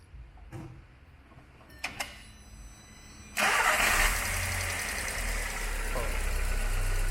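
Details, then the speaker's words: VW Gol with a flickering oil light, at first start: a light tapping of about four per second over the cold idle; the gauge at the oil filter reads just over 2 bar, too low. "the oil pressure here is already low, see guys, the oil switch, the pressure here is already low in the oil filter, it's showing a little more than 2 bar, 2 bar is not enough for me"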